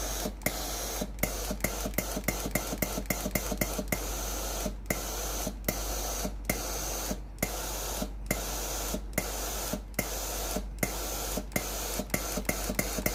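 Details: Philips PSG7014 steam-generator iron with a no-steam complaint, during the diagnostic test before the pump is replaced: repeated short, clean, even hissing bursts of steam. The boiler delivers steam normally, confirming only the water pump has failed.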